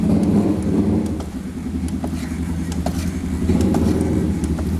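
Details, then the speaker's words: Kawasaki Ninja after a front-end fix for a knock resembling the steering head bearing, riding with a steady low engine note and only faint occasional taps; fork travel improved and the front end now sounds quiet and sound. "E andando quase perceptível, né?"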